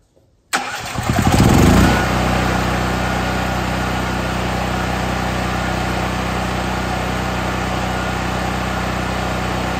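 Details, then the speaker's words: New Firman 7500 W tri-fuel generator, fuel selector switched from natural gas to LP (propane), choke in start position, cranked for three seconds: brief crank catches quickly, settles into steady even run, no misses or knocks; normal start and idle. "we've got the choke in the start position so now we're going to go ahead and crank it for three seconds"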